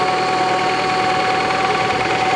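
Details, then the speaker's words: 1987 Toyota Camry LE, 4-cylinder 16-valve fuel-injected engine, automatic, about 200,000 miles: steady idle with light busy clatter under a constant whine; whine is a bad power steering pump, clatter from the old clanky engine. "Can you hear the clattering? This is another old clanky engine just like my 2002"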